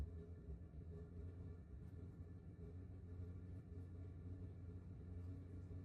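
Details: 2kW diesel air heater in 20ft pop-top caravan, outside about 7°C, running settled at level 3 (three green bars), drawing about 0.8–0.9 A from 12V battery: steady low rumble, even hum, no knocks or surges. Normal running.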